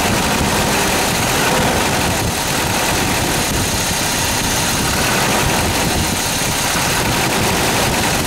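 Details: Toyota 22RE engine at a loud, busy idle with an uneven metallic "death rattle" of roughly four a second; the cause is not identified.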